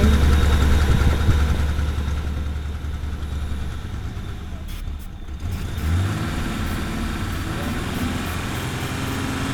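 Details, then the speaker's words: Toyota Supra idling roughly: loud, deep idle that wavers and dips midway instead of holding steady; starting fluid reaction reveals an intake vacuum leak. "what is that uh over here down here well what was that well we have a vacuum for sure"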